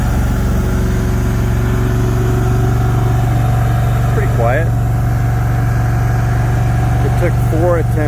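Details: Brand-new Briggs & Stratton PP20 20kW natural-gas whole-house standby generator on its first run, started on the fourth attempt. It runs at low speed with a steady, quiet hum and no misses, heard from about 10 feet away.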